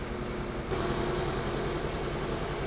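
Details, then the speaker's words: New Polar Air Industrial Plus 7.5 HP compressor (Eaton), 120-gallon tank, first run after installation: fast even pump chatter with steady hum, no knocks, squeal or blowing out, fittings tight; runs smoothly building pressure. "No blowing out. Everything is tight. Come on, baby. So far so good. I don't hear anything."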